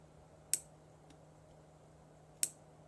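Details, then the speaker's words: Arduino-style solenoid driver circuit on a breadboard, probed by hand, for an aquarium CO2 pneumatic valve: two sharp isolated clicks about two seconds apart over a faint hum. The solenoid switches intermittently. "okay that's weird it's not switching"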